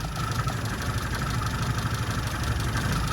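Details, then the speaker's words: Standard 1100 engine at idle with no vacuum advance connected: flat, lumpy, stumbling idle. A strobe reads 41 degrees of timing, far too advanced, and about 30 degrees is to be dialed back. "just getting the strobe reading that's idling no vacuum connected and we've got 41 degrees so that's why that engine's running lumpy"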